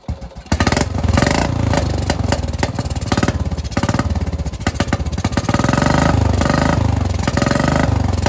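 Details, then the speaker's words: Small single-cylinder engine with aftermarket carburetor, battery freshly charged, runs only with choke on: uneven popping, speed surging and sagging; rough running, owner suspects clogged carburetor needing cleaning. "I think I might need to clean a carburetor it only wants to run with the choke on"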